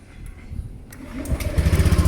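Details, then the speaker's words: Motorcycle with dry battery that wouldn't crank despite over 12.5 V, after refilling electrolyte only without charging: brief starter whir, engine catches into quick even putter; starts normally. "dia hidup ya oke kita coba kembali satu ini yang kedua Oke mampu"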